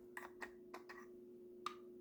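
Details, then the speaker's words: Jaguar XK8/XKR cupholder lid, after lubrication: light plastic clicks of the latch, then a sharp tick as the lid bottoms out at full open, lid bottom striking the cavity floor; owner plans a sticky felt buffer. "So what happens is, as the lid opens to the end, the bottom of the lid touches right here, the bottom of this cavity, and you get this clicking sound."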